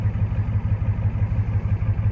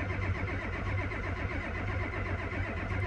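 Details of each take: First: Ford F250 7.3 IDI diesel, fully warmed after half an hour of driving: steady, even diesel clatter at about six beats a second with no misses or knocks; healthy warm idle, though glow plugs still need replacing. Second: Ford F250 7.3 IDI diesel, cold start: slow steady cranking with no firing; original glow plugs never replaced since 2001, relay and harness suspect, plan eight new glow plugs, relay and harness.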